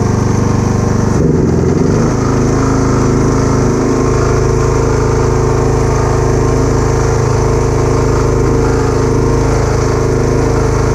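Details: Kubota A3500 generator, about 10 hours use, new spark plug, uses some oil: constant, even drone at fixed speed, no surging, hunting or knocking; proper voltage output; normal steady running.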